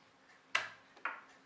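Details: Opened non-working laptop hard drive powered on with platters removed: two sharp, light ticks about half a second apart in a quiet room as the head actuator arm swings and hits its stop; actuator ticking.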